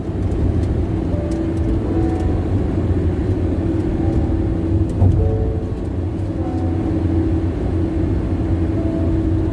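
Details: Steady deep droning roar at highway speed on the Bandung–Jakarta toll road, even with no engine rise or fall; loud tire noise off the road surface.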